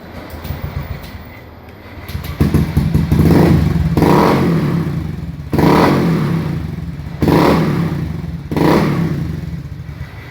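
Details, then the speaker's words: Honda Beat new fuel-injected scooter before repair, stalling when settling to idle; four throttle blips are each slow to build and fall back lazily. Sluggish throttle response from a dirty throttle body. "delay sekali motornya pokoknya lemon ini dia juga nggak enak telat nih"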